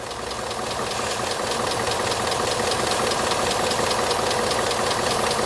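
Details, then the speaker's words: 2018 Ford F150 4x4 V8 XLT, sold cheap at auction as having a bad engine, at warm idle: a fast, even tick of about 2–3 per second, unchanged; a rattling, hissing, likely clogged PCV valve is then found. "Well, if these fans will ever shut up, then we'll be able to uh listen and see if this ticking noise has gone away. And just like clockwork. Nope. So, here's the deal. It doesn't sound better. It doesn't sound worse."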